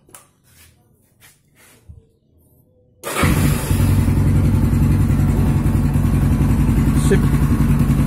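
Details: Yamaha Scorpio Z after 6-plate clutch lining and clutch housing replacement and clutch spring holes shifted 180 degrees: starts at once, smoother idle, earlier clutch rattle gone, healthy.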